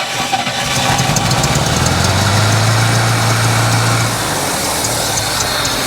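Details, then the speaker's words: 1964 International truck, 304 V8: very slow, lumpy idle with an uneven loping beat, about three and a half pulses a second. Apparently running on about four cylinders and needing a tune-up; cause unconfirmed. "bit almost sounds like a hit and miss motor definitely running on like four cylinders that's got to be the lowest Idol ever"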